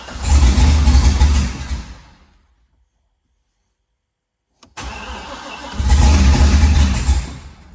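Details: Car with its fuel pump ground unhooked, so the pump wasn't running, catches and chugs roughly for about two seconds, dies, then briefly fires again; it is fuel-starved while oil pressure builds, and the fix was reconnecting the ground.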